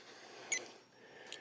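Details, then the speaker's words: Denas PCM 4 at intensity 35, applied to the arm: faint high electronic clicks, one and then a quick run of three, over near silence; normal biofeedback ticking as it takes a dose reading in about 15 seconds. "it's going to start ticking hear that noise what it's doing is it's sending a biof feedback signal through the skin through the tissue and it's taking a reading the reading is how much of a dose you need in that area"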